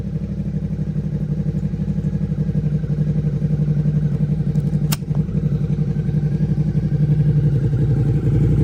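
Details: Rebuilt Suzuki SV650 V-twin, exhaust with dB killer removed: deep even thump, revs building gently, no knocks or rattles; owner hears little difference versus dB killer fitted, healthy throaty note.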